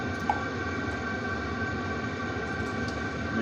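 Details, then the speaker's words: Webasto heater in a converted van starting up, supplied without an exhaust silencer: steady, loud roaring rush with no rhythm, mostly exhaust noise. It lasts about 5–10 minutes, then quiets once in regulation. "Mais limite, c'est plus l'échappement qui fait du bruit hein, que la ventilation. Bah, dans les deux autres, les deux autres que tu avais montés, ça faisait pas ça. Mais parce qu'il y a le silencieux."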